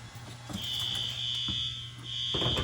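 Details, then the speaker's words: Fire alarm horn during annual testing in a middle school crawl space section: steady high tone pulsing on and off at low level over room noise, too faint to carry. "Yeah, it's pretty quiet in here, eh?"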